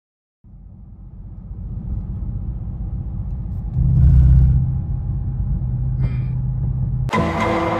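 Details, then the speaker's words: W204 Mercedes C63 AMG, M156 6.2L V8, on throttle: deep rumble swells but stays rough, uneven and stuttering, heavy misfire under load with oil smoke from tailpipes; owner suspects the engine blew, cause unconfirmed. "the initial clip when we started the video when i apply throttle you can hear i mean it's just yeah so uh it's just such a curveball"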